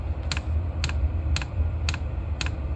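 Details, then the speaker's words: Vevor Chinese diesel heater after repair, now igniting properly: sharp regular ticks about twice a second from the dosing fuel pump, which has sped up, over a low combustion rumble; normal fuel pump ticking. "you can really hear now it's subtle but you can hear that the fuel pump has increased in speed and you should still be able to hear that characteristic Rumble from the ignition process"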